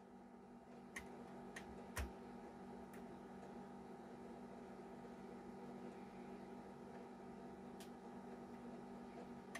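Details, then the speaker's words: Nintendo Famicom Disk System saving Zelda progress to a floppy whose write protection is defeated with tape: low steady motor hum with sharp head-step clicks, writing normally but slowly. "and yep it's definitely saving it's totally saving it takes a while famicom disc system moments"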